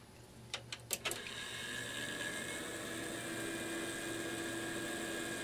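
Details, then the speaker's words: Small fan in a digital picture frame, traced as the source of a household hum, on spin-up after rework: a few sharp clicks, then a whir with a faint rough tone, spent bearings still audible, though it now spins true. "a little noisy on takeoff but that sticker is spinning nice and true now compared to how it was before"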